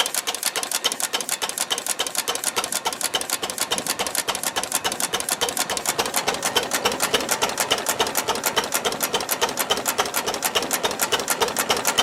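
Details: Ruston Hornsby model PR, about 1926, horizontal single-cylinder petrol-paraffin engine, on petrol with mixture leaned from too rich, apparently first start in 5 or 6 years: crisp, even ticking near 105 beats a minute, no misses or knocks; normal idle.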